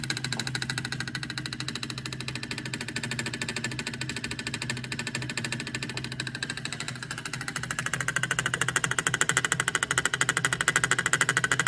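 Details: Bad Delphi EGR valve, only a few months old, setting P0404, commanded through its duty cycle with a scanner at idle. Fast, even ticking chatter grows louder; the pintle position is erratic. Fix: replace the EGR valve.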